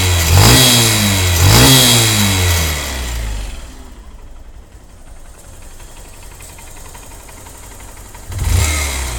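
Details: Honda CBF125 single: two throttle blips then slow idle with a sharp chuffing tick on each firing; exhaust leaking at the cylinder port gasket, a single-use seal needing replacement.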